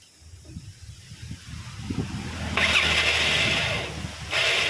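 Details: Yamaha Mio scooter, electric starter: high-pitched whirring bursts but the engine never turns over; the starter dynamo does not rotate the crankshaft. Likely causes are a faulty one-way starter clutch or the dynamo spinning in reverse.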